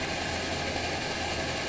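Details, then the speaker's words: Omnifuel stove burner at full flow with OmniDawg silent damper cap after preheating: steady roar with a faint very rapid chug underneath, caused by fuel pulsing as it vaporizes, normally masked by the flame plate. "you can probably hear a slight chugging very very rapid chug and"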